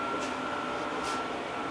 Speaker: All right, I'm going to go ahead and shut her down. And it's going to go through its cool off period.